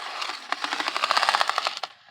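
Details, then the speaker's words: Bachmann U36B model diesel locomotive with pancake motor, before restoration: harsh rapid rattling clatter with uneven sharp ticks over a small motor whine, fading as it stops, cracked nylon drive gears chattering. "And that's what we call the cracked nylon gears, ladies and gentlemen. That's the sound of cracked nylon gears, I should say."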